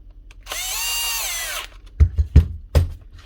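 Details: Bosch GWS 7-115 angle grinder after replacing the slide switch and refitting brushes, holders and cover, lead checked: clean steady high whine for about a second, then even spin-down with no rattle or grinding; running normally.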